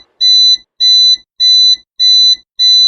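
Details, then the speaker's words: Smoke alarm sounding: loud shrill beeps around 4 kHz, five in three seconds at a steady pace, signalling smoke or fire; roll out of bed and crawl to the door. "when you're at home and in bed and you hear that loud beeping noise it's the smoke alarm that's when we want you to roll out of bed and crawl to your door"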